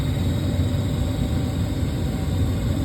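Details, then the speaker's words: Trane gas furnace after replacing a faulty flame sensor that made it click on and off while heating: low steady burner rumble with soft hiss, no clicking or cutting out; normal running. "I'm going to just verify that it doesn't click back off and have that same issue"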